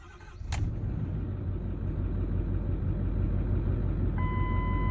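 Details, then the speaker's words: 2009 Ford F250 6.4 Powerstroke diesel, cold start in the morning with heavy smoke: catches and settles into an uneven loping idle with chime; month-long shake from misfiring #7 injector. "It's still a little shaky, but... And I don't know what the problem is. This has been going on for about a month now."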